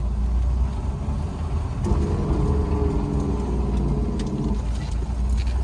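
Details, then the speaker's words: Mercedes-Benz 190E, warm, in first gear: letting off the gas from about 15 mph brings a loud, coarse grinding over road rumble, seemingly from the transmission tunnel or rear end; owner suspects a driveshaft carrier bearing. "also first gear under deceleration so if you get up going out on 15 miles an hour and then you let off the gas makes this horrible grinding noise sounds like it's coming from like the trans tunnel area or maybe the rear end"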